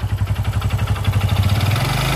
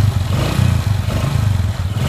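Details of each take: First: Honda Supra X 125 motorcycle engine with a rattling knock in the middle of the engine from first start, growing louder as revs rise; sign of a damaged connecting rod. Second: Honda Supra X 125 single-cylinder after repairing a rough-engine noise blamed on a worn connecting rod: revs blip up and down with a steady, even beat, no clatter or knock; engine now runs smooth.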